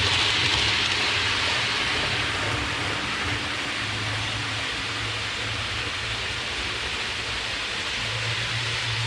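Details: Hornby APT model train after cleaning the wheels and copper pickup contacts: soft, even rolling hiss with a low hum, no sharp squeal; quiet running, one bogey still squeaks slightly.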